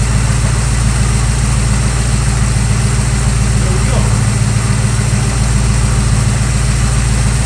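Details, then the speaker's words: 1965 Chevy Nova wagon V8 after swapping the two-barrel Rochester carb and intake for a Holley 600cfm four-barrel and Edelbrock aluminum intake; first start, float level set, timing not yet set. Loud, steady, lumpy idle with no misses; throttle response much improved over before, belt slightly loose. "I think we're in business. Did you see that? Did you see that? I had throttle response. I'm super excited. That's way better than it was before."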